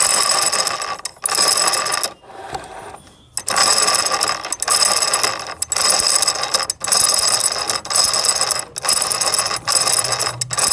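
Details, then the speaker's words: Sewing machine shuttle recorded close by microphone, no oil applied; loud dry metallic clatter in rapid bursts that stop and start with the machine: dry unlubricated shuttle, fix is adding warm oil. "तू तो आपने सुनी यह जो आवाज है वह settle सूखा है इसलिए यह आवाज इतनी कर रहे हैं हम इसमें गरम तेल डाल दें तो इसकी आवाज चेंज हो जाएगी"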